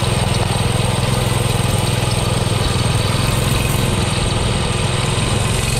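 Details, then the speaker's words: Baja Doodle Bug mini bike with a Subaru 7.0 engine and rebuilt carburetor, on a test run: the small single-cylinder putters steadily with a low, slightly uneven beat, sounding lazy and short on power; owner suspects a remaining carburetion issue, unconfirmed. "going in through properly and there's still some kind of carburation issue it's not as fast not really sure what's going on"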